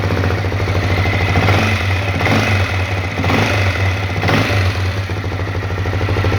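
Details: Honda CRF250L single-cylinder at idle: dull knocking under the beat with heavier thumps about once a second; engine knock of unknown origin.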